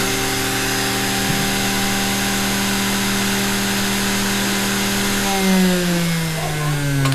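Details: Vintage sewing machine series-wound motor after WD-40 lubrication: steady, even hum of clean constant pitch, no knocks or rubbing; runs smoothly and healthy.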